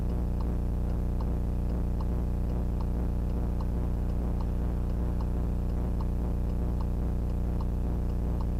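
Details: VIOFO A119S dashcam footage: steady sharp tick about four times a second over a constant low hum throughout; very loud unexplained noise in the recording.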